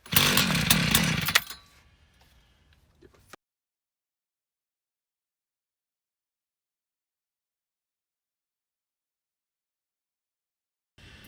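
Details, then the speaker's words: Old Craftsman 536 two-stroke tiller, likely unstarted seven or eight years, after compression test: barks to life about a second and a half, then dies; old fuel jellified in the carburetor, plugging passages. "is actually kind of the outcome I was expecting this sat for a long time and the fuel that got left in the carburetor this thing's been sitting for seven or eight years most likely without being started so the fuel that was in the carburetor at the time that this got left has jellified and plugged up all the passages"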